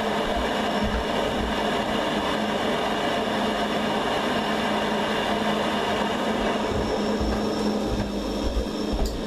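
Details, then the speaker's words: Worcester Bosch combi boiler after Nest thermostat wiring, heating just switched off: steady fan rush over a low hum, no knocks or whistles, as the boiler keeps overrunning normally, which is why mains power must stay connected. "I've just invested to turn off that's off but you might hear that the boiler you're still doing something so that's why it's important to have the mains power still connected to the boiler"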